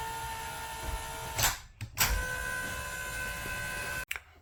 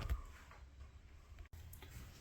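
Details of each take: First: Happy Jack bed lift after the fix: steady electric motor whine with no clicking or clanging. The chains had been clicking together on the way up, and the fix was a wood block glued under the gear chain on both sides to hold the chain up. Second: Happy Jack RV bed lift: irregular clicks and knocks over motor hum while raising as the lift chains slap together, quiet going down; fixed with a block of wood glued under the gear chain.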